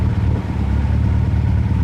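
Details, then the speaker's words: 1971 Toyota Celica TA22 restomod on its first test drive after the rebuild, rolling slowly: only a steady low road rumble with no rising tone, the rear axle that used to whine is now quiet, though a faster check is still needed. "do need to go a little faster uh to see if it still winds but I'm guessing it doesn't because you could hear it before just rolling like this"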